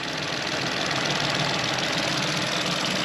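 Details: VW engine after water pump replacement, coolant topped up and being bled, heater on hot: steady, even idle under a lot of hiss with no knock or rattle; no leaks found and the pipes are getting hot, so it runs healthy.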